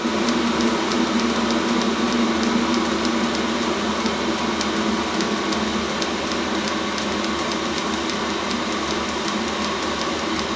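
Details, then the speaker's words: Complete-unit Chinese diesel heater from Banggood, thermostat range 14–35 degrees, slowing down after sensing the temperature was turned down. Steady fan rush with crisp fuel-pump ticks nearly three per second, slowly easing off. Normal thermostat throttle-down. "Starting to slow down because it sensed that I had the temperature turned down."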